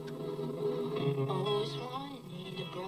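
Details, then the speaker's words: Sharp radio under repair, playback of a test recording: quiet music wavering and drifting in pitch, sounding wonky, typical of tape speed problems; cause not confirmed; wow and flutter. "So, like I said, it's recorded, but you've got that, you know, like the wow and flutter on that, and it seems like more wow and flutter than anything,"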